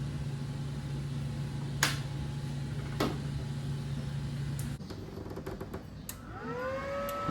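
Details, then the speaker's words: ARCCAPTAIN MIG 200 welder on 220 V, first power-on: low hum and switch clicks, then the cooling fan whirs up with rising pitch and settles; normal fan operation. "Well, the fan kicks on. I guess that works."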